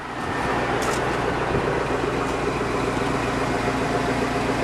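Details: 2002 Chevy Avalanche V8 cold start after sitting almost a week outside in cold weather, weak battery; steady even rumble with slightly raised cold idle, no knocks, ticks or misses while warming up: normal cold idle.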